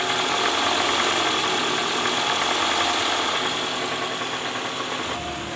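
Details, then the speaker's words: Toyota Alphard, 2AZ-FE engine, at idle in neutral, heard from under the engine near the oil pan: a dull, steady knock about four times a second, louder when cold. The cause is a worn balancer shaft with a loose No. 1 gear. "oke Jadi terdengar bunyi sangat kasar di area mesin walaupun posisi Netral ini langsung muncul bunyi kasar"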